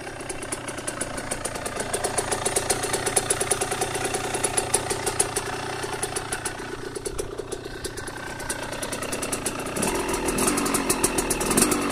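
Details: KTM 125 SX two-stroke after a rebuild, idling with occasional blips. Crisp, fast, even popping with no knocks or rattles; engine sounds healthy.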